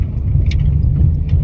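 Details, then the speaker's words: Lada Kalina interior over rough pavement after wiping dust off the door's contact point: deep road rumble with the car bouncing and no door creak; fine dust there had caused the creaking. "Вот она неровность вот она дорога вот она ничего не скрипит видите как кидает машину"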